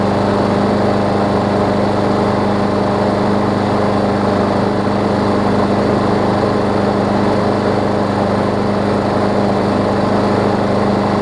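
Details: Craftsman push mower, previously running too fast and vibrating, after fixes and a replaced right front wheel, no blade fitted: smooth, steady drone at constant speed with no surging or shaking; normal running.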